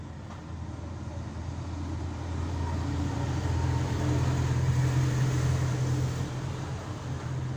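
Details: Isuzu 4HF1 four-cylinder diesel running with a steady low rumble and an uneven pulsing note that swells mid-clip; sounds abnormal, cause unclear.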